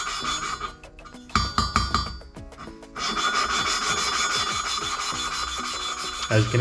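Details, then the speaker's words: Gritty rasping strokes at about three per second, lapping valve number two with grinding paste and a suction-cup tool on a Ford Focus ST/RS cylinder head during Stage 2 headwork. The scratch smooths and the sound changes as the seat beds in, showing the lapping is done. "and then you would just suck that onto there and then just give it [Music] and you'll hear like a change in the sound"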